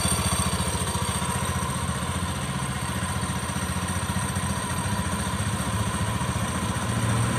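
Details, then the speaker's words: Honda Beat F1 scooter test run after CVT final drive (gardan) repair for a kletek/geleg rattling noise: even, steady putter with no knocking or clatter; normal CVT operation. "Ya udah itulah tadi video tentang kerusakan pada gardan CVT Honda Beat karena pemasangan sudah selesai kita lakukan pengetesan"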